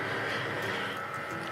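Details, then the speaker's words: HP Pavilion DM4 laptop fan: steady thin whirring hum with fixed high tones, loud and rough; suspected dried or failing fan bearings rather than bent chassis fins, replacement fan to be fitted. "we have an HP laptop here which if you listen carefully you can hear the fan making that noise"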